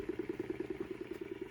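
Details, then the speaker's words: Homemade 3D-printed 5-pole magnet rotor with coil and Hall sensor, run at 13 V, 590 mA: even mid-pitched pulses about nine per second, a rough buzzing beat; owner unsure of the cause, thinks it comes from underneath. "yeah i'm not really sure what's causing that sound yep not sure but anyway i wanted to get something out it's kind of cool even though it makes crappy sound"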